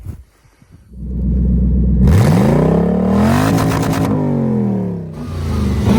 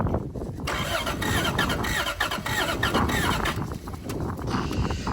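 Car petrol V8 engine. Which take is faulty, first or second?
second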